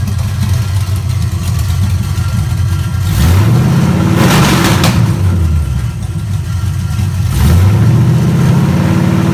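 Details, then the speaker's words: Chevrolet ZZ383 crate V8 test run on a Nova clip, open headers without mufflers: loud, deep, lumpy idle, blipped twice with clean rises and returns; sounds healthy. "so let's start one more time it sounds pretty good it's uh loud with no mufflers on it of course"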